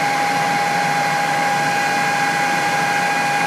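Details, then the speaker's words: Jet-16 milling machine after its out-of-balance, irregularly worn spindle pulley was machined true, running flat out at about 1500 RPM: smooth, steady whir with constant pitch and no wobble or thumping; normal running. "pretty damn smooth we can still go down low"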